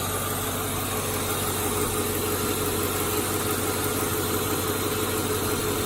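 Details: 2002 Ford Mustang GT V8 idling evenly with a quick, light ticking/knocking about three beats a second over the engine; source unknown.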